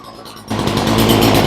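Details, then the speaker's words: Ryobi chainsaw that wouldn't hold a tune, after carb rebuild and new spark plug: snaps from quiet to fast, even high-pitched buzz holding steady without bogging or surging; sounds healthy. "So now it sounds really good with the new parts."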